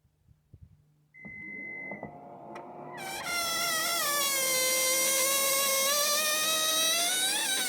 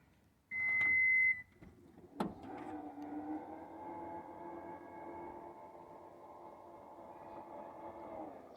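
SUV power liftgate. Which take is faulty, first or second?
first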